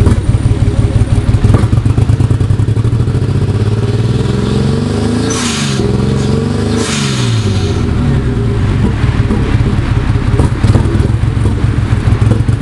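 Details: Nissan 240SX S13 with RB25DET swap revving up and down with a choppy, stumbling beat and uneven pulses instead of a smooth pull; the engine is misfiring.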